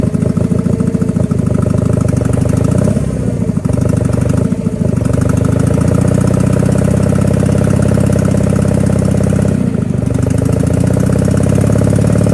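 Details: Power King 2417 economy lawn tractor, revived with new starter, fuel filter and cleaned carburetor: deep, steady V-twin drone holding an even beat without stumbling; normal running.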